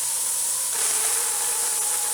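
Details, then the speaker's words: Presto pressure canner venting during heat-up, heat too high, needs a steady stream for 10 minutes: loud steady hiss with sputtering as water spits from the vent; normal vent hissing. "gonna spit water and everything so there we go now it's really starting to get it's vents going here it needs to be a steady stream for 10 minutes mine's almost there"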